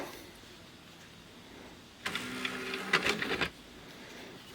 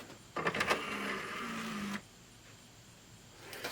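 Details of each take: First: Samsung Blu-ray player after disc drive serviced: tray motor whirs smoothly about a second and a half, then light latch clicks; quiet, normal loading, earlier noise gone. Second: Samsung Blu-ray player with a faulty disc drive showing a "cannot read disc" error: a rough, irregular whirring grind for about a second and a half as the drive strains to read. Dry disc mechanism grinding.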